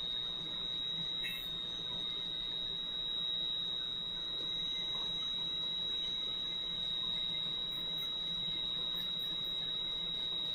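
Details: Valve grinder refacing a valve face with lubricant flowing, run back and forth: constant high-pitched squeal holding steady with light rubbing underneath; the valve face is being ground normally.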